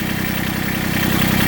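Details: Massey Ferguson GC1710 TLB sub-compact diesel tractor idling: steady low beat with uneven, lumpy pulse; heavy vibration, power cut almost in half, must be revved to lift bucket; owner suspects a cylinder misfiring or dead, cylinder temps checked with laser.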